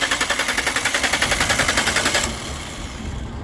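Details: Engine with throttle body motor that calibrates normally at key-on and connectors checked: steady fast cranking chug, three to four strokes a second, for two seconds with no firing. Cranks but won't start.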